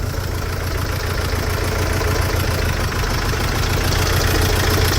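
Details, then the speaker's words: Mercedes Sprinter diesel van just after injector replacement and coding; lumpy, uneven idle with loose thumping about three per second stumbling irregularly, definitely missing; diesel misfire, suspected faulty injector. "oh but they still loving itself but she's definitely missing"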